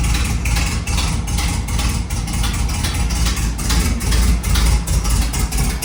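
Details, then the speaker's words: Volkswagen Beetle with freshly rebuilt 1300cc air-cooled engine on first start, carburetor being adjusted: uneven lumpy idle beat about two pulses a second, sounding choppy; slow-returning oil pressure light also noted, cause not yet pinned down. "right now it's sounding really choppy and it was one of the first things that I noticed."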